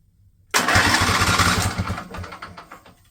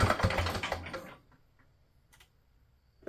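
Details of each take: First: Husqvarna mower with Briggs & Stratton Intek engine, over 900 hours, cranked with plugs and fuel line disconnected: brisk, even cranking about three turns a second, strong starter whirr, no firing; starter spins engine properly, normal cranking. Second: Husqvarna riding mower, Briggs & Stratton Intek V-twin, over 900 hours, new battery: brief ragged firing, pause with light clicks, then rough run that won't hold; getting fuel but not running on it.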